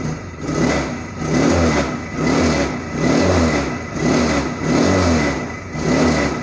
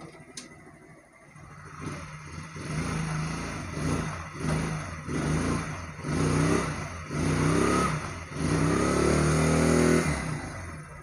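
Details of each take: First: Motorcycle that vibrates heavily at 40-60 speed, revved repeatedly: loose rattling buzz surging with each rev from loose engine mounting bolts in the frame. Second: Small motorcycle engine revved in repeated blips after tightening loose mounting bolts to cure vibration at 40-60 speed; now smooth and even, no rattle or buzz.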